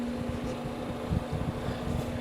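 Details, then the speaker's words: Second, unserviced solder fume extractor fan: a steady low tone with an uneven rumbling purr while running, possibly a dry bearing like the first unit, which needed oiling. "definitely that one definitely the one that I did not service is making that sound so it's probably destined for the same fate"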